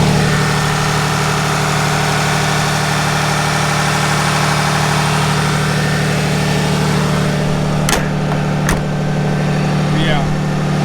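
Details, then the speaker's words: 2019 RAM 3500 Limited Mega Cab High Output Cummins diesel at high idle after service, following 600 miles on bad diesel: smooth, even drone, clean, hydraulic lash adjusters no longer audible; normal. "That's how it's supposed to sound. Sounds clean. You can't hear the hydraulic lash adjusters anymore."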